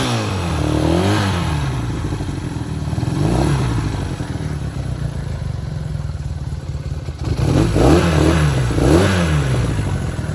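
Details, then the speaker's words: Restored 1968 Honda CL175 K0 twin, cold start at sea level with little choke: settles into an even idle between light throttle blips, smooth firing with no knocks or rattles; healthy. "uh yeah so a beautiful bike she runs great we'll uh we'll go ahead and fire it up here so we'll turn on the gas she's cold right now"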